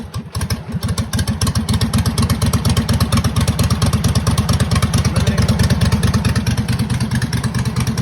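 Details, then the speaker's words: Homemade racing lawnmower about six months old, single-cylinder engine started on choke: uneven idle with light rapid tick on each firing pulse that comes and goes; owner suspects valve or lifter tick. "the engine has developed a uh ticking noise like like I think it's like a valve tick something where the lifters or something I really don't know"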